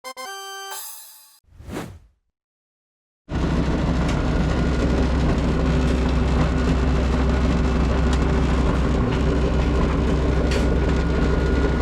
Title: Dryer Making a Weird Noise? Damaged Drum Roller Wheel!